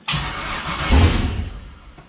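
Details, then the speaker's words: 6.0 V8 swapped into a CUCV, first start of the new engine, coolant system not yet connected, a little throttle: brief cranking, catches with a short rising roar and fades within a second; starts and dies, owner suspects something missed in the tune. "she's close I'm starting to think I missed something in my MI tune I think I missed something"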